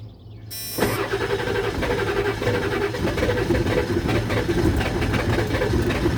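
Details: Ford 7.3 Powerstroke diesel that earlier ran rough, smoked and wouldn't rev above 1200 from a recurring fuel issue: after a silent pause it catches abruptly into a rough, uneven clatter with heavy smoke; hard start, cause unconfirmed.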